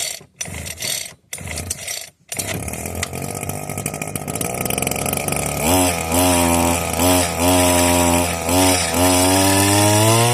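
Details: Vevor hedge trimmer started again after about four months unused, switch on: a few sharp pulls, then the small two-stroke catches and settles into a steady buzzing run with rhythmic blade chatter; running healthy.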